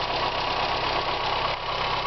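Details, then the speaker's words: Petrol car running for the first time in four years, after a leaking fuel pressure regulator was replaced, new spark plugs fitted and the oil changed. An even, steady idle hum with no misses or rattles. It smoked earlier and the cracked filler neck leaks fuel. "all right first time in four years this thing's running we're gonna go out and listen to it first time in four years this thing's running like a champ now get up and listen to it"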